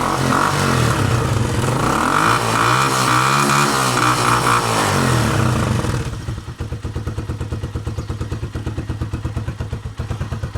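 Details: Motorcycle that hesitated and stalled after sitting outside in rain and snow, after cleaning the carburettor, fuel tank and tank petcock filter, kick-started with a dead battery: revs up cleanly, then a steady, even idle with no stumbling or misses; running healthy.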